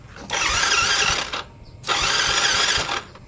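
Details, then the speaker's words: Yamaha Mio J injection scooter, dead for a week after earlier sputtering, battery recharged and fuel pump humming: two short starter whirrs of about a second each without firing; the kick start then feels too light, so loss of compression is suspected. "starter enggak ngangkat ya. Starter enggak hidup."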